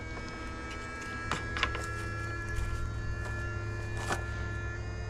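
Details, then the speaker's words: 2008 BMW 535i E60 after upper radiator hose replacement, ignition on during coolant bleeding, 2 A trickle charger going on battery: electric coolant pump runs with steady even whir and hum, no rattle or surging; normal running. "I'm getting ready to go eat while I'm waiting, so there's no reason in running my battery down. You can hear the pump in there running."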